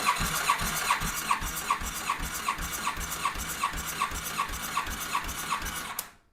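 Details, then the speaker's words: 2007 Yamaha FJR1300 that lost a cylinder on a ride, compression test on cylinder 1: steady even cranking about two and a half pulses a second; about 219 psi, high like cylinders 3 and 4; cylinder 2 suspected failed, cause unknown. "Yeah, it's about 219. Boy, isn't that a shame? They're similar. They got high compression."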